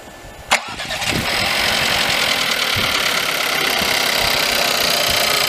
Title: VW Polo 1.2 TSI 66kW engine rattling noise when cold